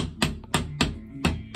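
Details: Five sharp taps about every third of a second on bathroom wall tiles; each gives a dull, hollow ring instead of a solid click, showing the tiles have come loose.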